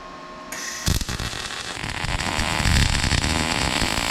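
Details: MIG weld, loop technique in steady rhythm, gun pointed slightly forward, nozzle about 3/8 inch from base metal: after strike, a steady, even frying crackle holds without pops or sputters; a well-set arc.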